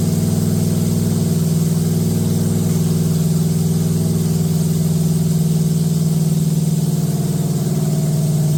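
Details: Date-coded 1969 383 HP Super Commando V8, just swapped into a 1969 Plymouth Road Runner from a Barracuda, run with good oil pressure and no tach: even, steady fast idle with a smooth low rumble and no clatter or ticking. Sounds healthy.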